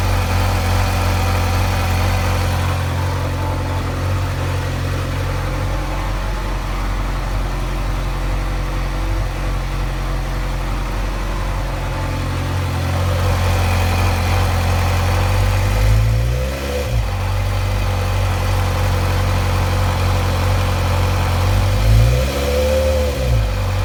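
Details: 2008 Suzuki GSX-R 600 four-cylinder bike: loose, uneven rattle at idle, briefly blipped twice with the rattle returning as revs drop; owner feels it is more noticeable when letting off the throttle.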